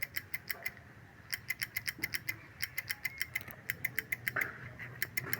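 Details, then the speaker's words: Honda XRM motorcycle that won't start after being exposed to water. Rapid sharp clicking, about six a second, with no cranking. Starter relay contacts were cleaned and the battery checked. "So ang issue ayaw magstart. So try natin. Ayan tumutunog lang. Ayaw mag-start."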